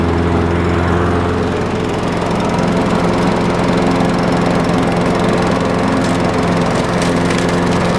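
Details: Craftsman 6.75 lawn mower that would not start after winter storage, running after carburetor cleaning (a clogged port or jet, bottom one suspected): steady, even drone, no surging, misses or knocks; running cleanly and holding speed.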